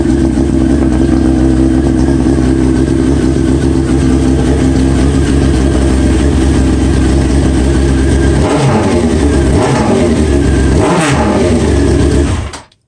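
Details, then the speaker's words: 2001 Honda 929RR sportbike, seven years after a spark plug heli-coil repair with debris left in the cylinder: an even, strong idle, then several quick clean revs without misses or knocks. Runs like a top, healthy engine. "as you can see it runs like a top this thing is so powerful man it's unbelievable all you do is crack the gas man"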